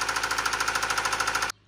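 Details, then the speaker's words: Subaru engine running with loud, sharp, rapid knocking, about thirteen hits a second, until shut off: rod knock, not piston slap. "okay obviously that is not a piston slap you can hear that another state away let alone you thought you might hear it all right that your car sounds like that that's a rod knock"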